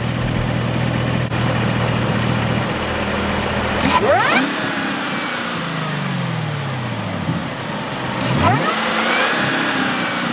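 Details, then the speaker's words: 6th Gen Camaro ZL1 supercharged V8 with a Roto-fab Big Gulp intake and LT5 95mm throttle body, no tune, exhaust valves closed, camera set beside the car: two throttle blips, whine climbing and falling with revs over a smooth idle; healthy. "There it is, guys. That's what it sounded like. Definitely sounded healthy as hell."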